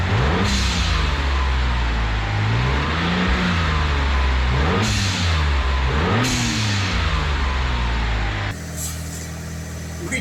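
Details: 1997 Mitsubishi Galant VR4 after replacing the old plastic recirculating valve with a GFB Hybrid valve: repeated rev blips with a sharp airy whoosh as each rev falls; normal blow-off valve venting.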